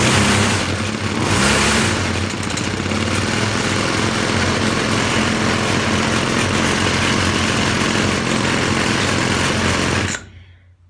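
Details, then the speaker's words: Poulan Featherlite two-stroke string trimmer after fuel line replacement, choke full, old plug with weak spark: steady high buzz revs up and holds evenly for ten seconds, then cuts off; runs clean with no smoke. "okay power-on choke full that sounds more like it zoomed out there you heard it anyways"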